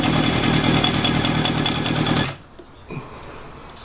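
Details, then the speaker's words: Honda CB750 café racer with rebuilt carbs, recorded close to the engine at idle: a light, quick knocking before cutoff. Owner suspects a noisy alternator bearing or something nearby but is unsure of the source. "so after starting the engine and just sitting there on idle that little knocking noise it just seems to be coming from the alternator here whether it's a noisy bearing or here I just I'm not 100% sure what it is"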